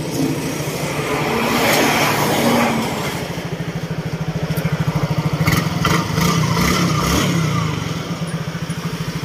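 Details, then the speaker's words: Yamaha Mio 115 scooter at first start after an engine overhaul and refresh with top timing set: starts on one push and gives an even low putter at about three beats a second with no knocks, a quiet healthy idle. "Ayan. Tahimik na tahimik yung makina nito mga"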